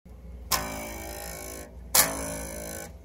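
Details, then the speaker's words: Two plucks of a Fender-style bass's open A string, each buzzing brightly because the nut slot is cut too wide and the low-break-angle string rattles; fixed by tightening the slot. "slicing a little bit too wide this string is rattling back and forth we're gonna have to tighten that slot up a little bit"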